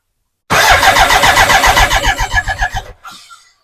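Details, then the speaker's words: BMW K100 after fitting a new in-tank fuel pump: steady starter cranking about four turns a second, no firing and no pump whine; still cranks without starting, so pump apparently wasn't the cause, unconfirmed. "turn the key still hear no fuel"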